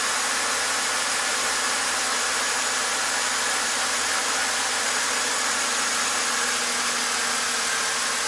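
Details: 2007 BMW X5 engine after fixing electric water pump fault (cooling fan had been running full speed): steady, even idle with airy hiss, no misses, knocks or surging; code no longer returns, pump current steadier.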